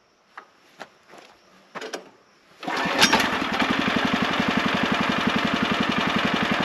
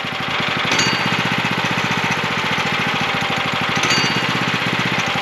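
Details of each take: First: Sawmill engine started to warm up briefly before an oil change: a few light clicks, then it catches within seconds and settles into a steady, even putter; starts and idles normally. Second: Sawmill engine, throttle raised slightly: fast even engine patter with a light metallic ding before the drive turns; idle set too high, so the centrifugal clutch partially engages and drags, wearing it quickly.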